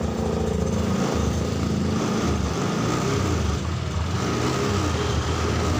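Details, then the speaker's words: Honda Scoopy keyless scooter starting after an electrical fault traced to a badly drained battery (dropping to 7 volts): small single engine starts and idles with an even, quick putter and steady low drone, no stumbling; runs normally despite the weak battery. "Coba kita hidupkan jika tidak ada masalah yang lain selain akinya Yang tekor ini Seharusnya motor bisa hidup tuh masih ada bisa hidupnya ya teman-teman"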